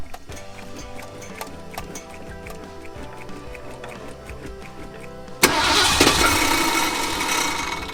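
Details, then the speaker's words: Ford F100 bullnose V8, carburetted, sat outdoors 11 years: starter cranks steadily for several seconds without starting; dead in-tank fuel pump starves the carburettor of fuel. "thank you it's not pumping enough fuel out of a carburetor after a lot of mucking around and diagnosing and testing check this out guys turns out that the in-tank fuel pump is not working"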